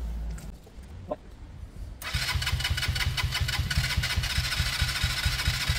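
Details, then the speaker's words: Kawasaki KSR GRS 125 start attempt with airbox fitted; carb recently tampered with by several people: quiet, then a lumpy beat near three a second that never settles; hard starting, owner suspects carb problem, unconfirmed. "I won't be surprised if this doesn't fire up because Ryan says that three or four different people have messed with the cob recently"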